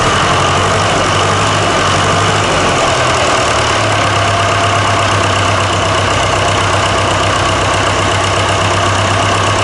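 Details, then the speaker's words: Fordson Super Major tractor diesel, just fitted with a new engine plus new filters, hose kit, fan belt, battery leads and solenoid switch. Loud, steady, even idle clatter with no knocks, misses or hunting. It picked straight up and sounds healthy. "yeah that was good though wouldn't it yeah that sounded nice and it picked straight up um yeah really good"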